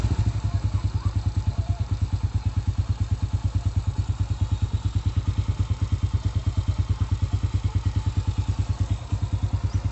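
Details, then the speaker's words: Honda Astrea/Supra single-cylinder idling after repairing a loose camshaft bearing seat without machining: even, steady low thump about three beats a second, no tapping or rattle; engine now sounds quiet and healthy. "Hai sekarang sudah harus tuh suarane adem banget ya"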